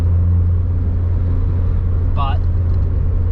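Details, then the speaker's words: Honda EK Civic hatchback at highway speed (about 65–85) after sealing the doors to cut wind noise: steady low road rumble with hardly any wind hiss, only slight air against the side, far quieter than before. "that's a lot better than it used to be you can hardly hear it I can just hear the uh it hitting the side of the car yeah that's good that's a very noticeable difference"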